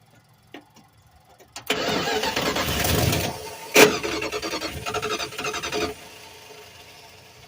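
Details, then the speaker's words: 1986 Dodge W150, mechanical fuel pump, line disconnected from the carburettor to prime: starter cranks hard about four seconds with an uneven catch, then cuts out; not running, fuel reached the line afterwards. "So what we're gonna do now is we're gonna just pop her off and see. Try to get that fuel primed up."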